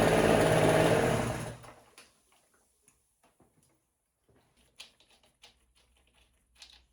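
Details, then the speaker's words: 1968 Electrolux Penta E-50 43 hp three-cylinder two-stroke outboard, unrun 20+ years: lower two cylinders seemingly cold; pulling the bottom plug changes nothing, but pulling the top plug makes the engine die within two seconds. Running on one cylinder; wires or coils suspected. "Disconnecting the bottom cylinder's spark plug doesn't change the sound of the engine at all. But disconnecting the top spark plug is a different story."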